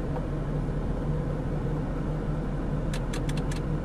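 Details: 2007 Jeep Grand Cherokee at idle with radio cutting on and off: rapid burst of five sharp clicks over steady rumble, heard near the fuse box; relay chattering, judged internal, not external fuses.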